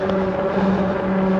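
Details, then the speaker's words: Himiway Cobra fat-tyre e-bike coasting quickly down tarmac: steady low hum from the knobbly fat tyres, which is normal road hum. "Yeah, those fat tyres make a nice humming sound as we go down the tarmac."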